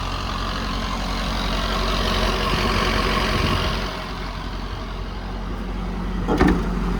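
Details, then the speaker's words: 2011 Ford F-550 with a 6.7 Powerstroke diesel, six-speed automatic, 4x4 and 222,000 miles, at idle: a light, even ticking about four per second. This PTO chatter is normal at idle and goes away when the PTO is engaged or the engine revved. "you do have a little bit of PTO chatter um you can hear it right now anytime you're idling um you'll hear that PTO chatter so once you engage the PTO or once you rev it the chatter goes away away but that that chatter at idle is normal on these"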